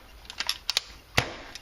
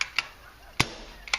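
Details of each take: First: CCM pump paintball marker after work on barrel leaks and chuffing: pump clicks then one crisp clean crack with no trailing hiss or puff; firing normally. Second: CCM pump paintball marker firing: soft hollow poofs instead of a crisp pop, chuffing and wasting air down the barrel; likely balance problem, possibly something in the valve.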